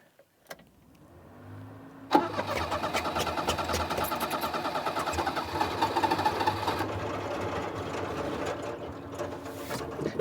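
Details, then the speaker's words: 1988 Daihatsu Hijet mini truck, revived after 2 years in storage: long crank, then it catches and runs rough and uneven, nearly dying. It backfired earlier; the owner suspects a gummed-up carburetor. "definitely a carburetor issue cuz it'll run when I shut it off earlier it backfired so I don't know what the deal is"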